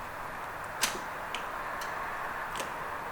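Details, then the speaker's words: Honda Prelude INX on a jump pack with a 1980s JDM aftermarket remote starter: sharp relay clicks with no cranking; the remote reaches the control box but the starter never engages. Cause suspected, not confirmed. "cars making it click doing something something's working at least no the remote is talking to the little box"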